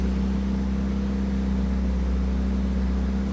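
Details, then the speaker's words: 1982 Pontiac Firebird run after sitting abandoned for 25 years, high idle at about 1,800 rpm, cause unknown: fast, steady idle hum with an even beat and no knocks, otherwise running well. "We're at sitting at like 1,800 RPM. Not too sure what that's about."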